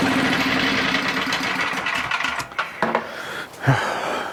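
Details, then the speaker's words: Older Tecumseh generator after richening the carb mixture, running at 62 Hz: runs evenly, then surges, sputters and dips as a restrictive paper fuel filter starves it of fuel; fuel starvation. "So, what's happening now is it's running out of fuel cuz there's a paper filter."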